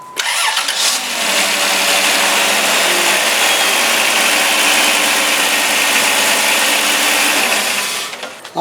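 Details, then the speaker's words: 2005 Dodge Caravan 3.3 L V6 with misfire, after replacing spark plug wires: engine cranks briefly, catches cleanly and settles into a steady even idle with no stumble or miss; misfire fixed. "right we have success okay have success the car started up runs great"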